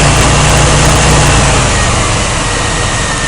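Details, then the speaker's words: 1992 GMC 1500 with the 4.3-liter engine at idle after the startup speed drops. A loud idle carries an uneven, stumbling beat, a clear repeated big miss. The owner notes it is worse cold and under load; the cause is not evident yet and timing light checks follow. "I'm getting a little Miss in it actually it's not a little Miss it's a big Miss cuz when you run the engine it's missing really good"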